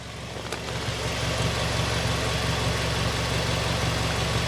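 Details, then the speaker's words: Nissan Primera P12 after exhaust hole repair with putty, microphone by the exhaust: smooth, even idle with a steady low beat and no puffing, previously blowy; the exhaust now sounds normal at idle. "doesn't sound too bad it sounds pretty normal at idle now"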